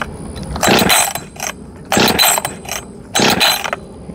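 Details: Husqvarna 562XP Mark II chainsaw, first start attempt: three pull-start bursts, turning over without catching; spark plug coil wire not fully seated after compression test, no spark.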